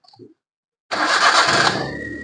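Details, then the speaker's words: Maruti Suzuki Alto that cranked but wouldn't start, after loose wire fixed: fires instantly on first turn, settles into smooth even idle with no misfire. Normal start. "Start ചെയ്യുമ്പോൾ ഇപ്പോ ഒറ്റ അടിക്ക് തന്നെ വണ്ടി start ആകുന്നുണ്ട്"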